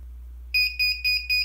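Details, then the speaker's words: Uni-Byte 6-digit clock/timer kit on Atmel microcontroller, alarm set for 1:40; sharp high beeps about four a second repeating without pause over quiet hum, alarm sounding at its set time; no quick way to stop it. "so now when it gets to 140 we should hear that beeper going off"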